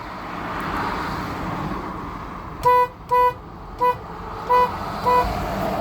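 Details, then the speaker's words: Honda Odyssey with a no-start and a 20 amp fuse blowing instantly: five short horn toots sounding over highway traffic during testing; horn circuit suspected of shorting, not confirmed. "right now the horn is toting a little bit louder than it is but earlier was like so what I do think is the horn was shorting"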